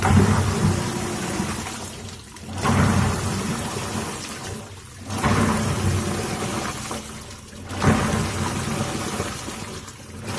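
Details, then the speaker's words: Midea MWMTL062M31 top-load washing machine, filled with water only, gives a loud churning rumble with each agitation stroke, about every 2.5 seconds, over sloshing; customer complains of noise in wash and spin; worn washer in gearbox. "नहीं, अभी मैंने ऐसे ही पानी भर के किया ना, तो आवाज आ रही थी। कस्टमर का कंप्लेंट आ जाता है, वॉश में भी स्पिन में भी।"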